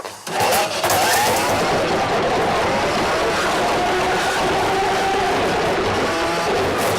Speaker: since this has a universal motor you are going to get an audible signal as this thing starts to work so you will hear the motor whine and it's fine